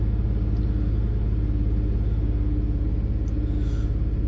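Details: 2004 Chevy Silverado 4.3 L V6 at raised rpm with codes for MAF, O2 sensor, random misfire and evap, and lazy O2 sensors. A deep, uneven lope with about two to three stumbles per second from a misfire.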